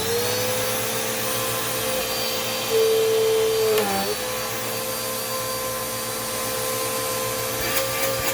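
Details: Dirt Devil Quick-Lite Cyclonic (UD20020) vacuum after service, brushroll checked fine: steady, even motor whine with constant airflow hiss, no rattles or pitch dips; running healthy.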